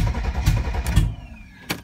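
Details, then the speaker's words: 1992 Mercedes 300TE with no catalytic converter or muffler, cranking but not starting: uneven low thumps and sputters, some cylinders firing but never catching; owner suspects inconsistent spark or fuel from only some injectors, though it ran the other day. "you see it sounds like it's got inconsistent spark to me it could be that maybe it's only getting fuel out of some of the injectors i don't know"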